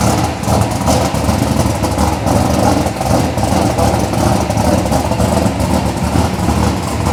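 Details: Chevelle V8 with Edelbrock Pro-Flo 4 EFI, 13.5:1 compression, said to run E85, injection not yet fine-tuned, 3.5-inch collectors into 3-inch exhaust with mufflers: deep, lumpy idle rumbling steadily, toned down, no knocks or misses; normal idle.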